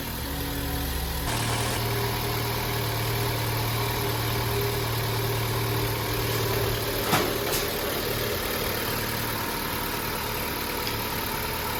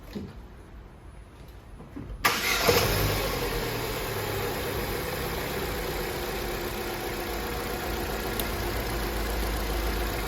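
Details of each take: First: Opel Astra J, first start after engine rebuild for misfire and burnt valves, antifreeze just added: engine catches after a brief crank and settles into a steady, even idle with no misfire, knock or ticking. Normal idle. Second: Opel Astra J petrol engine started cold, shakes more when cold and burns oil: cranks and catches into a lumpy, uneven idle, a misfire traced to burnt valves after plug and coil swaps failed to fix it.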